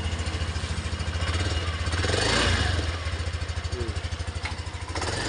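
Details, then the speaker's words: 2022 Yamaha NMAX with no cranking though battery and fuse were fine, after scraping and cleaning socket terminals: small single-cylinder engine starts and settles into steady even idle, low putter, no misses; fixed. "Umandar na siya. So ganun lang kasimple."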